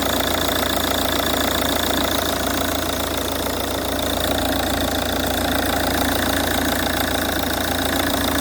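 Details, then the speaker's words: Ford Kuga Mk1 AWD 2.0 TDCi diesel (replacement engine) after auxiliary drive belt replacement: steady, even diesel idle with a smooth regular beat and no clatter from the belt side; normal idle, rattle cured. "so let's give the car a start and see if we still got that noise fingers crossed oh oh whoa whoa whoa no noise"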